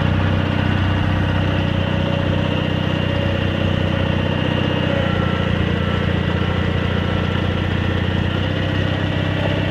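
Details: Cub Cadet 782 garden tractor with rebuilt 42-inch snowblower, started after sitting a couple days: steady even low idle, unchanging beat, no knocks or misses; engine healthy.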